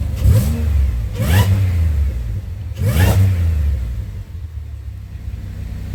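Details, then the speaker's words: Pontiac engine revving after reconnecting purge valve and brake booster line: three quick throttle blips rise and fall cleanly, no stumble; sounds a lot better revving though random multiple misfire remains at idle. Normal revving. "Definitely sounds a lot better revving."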